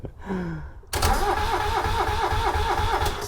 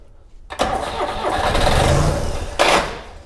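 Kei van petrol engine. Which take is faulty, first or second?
first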